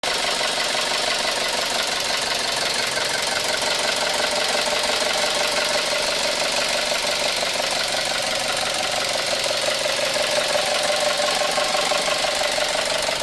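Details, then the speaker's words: 2012 Chevrolet Cruze 1.4L turbo Ecotec with harsh, dry, diesel-like ticking clatter steady over the idle; serious internal damage suspected, possibly lifters, timing or rod knock, unconfirmed; engine clatter. "quién cree que sea este ruido? Parece diésel este motor Ecotec."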